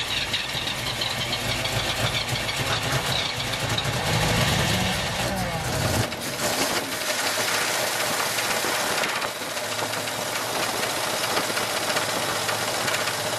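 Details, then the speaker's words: 1980 Oldsmobile Cutlass V8 after sitting almost 2 years: fires up and revs, then rough idle with a deep, regular knock; suspected rod knock, not confirmed. "all right do you think it's a rod it might be"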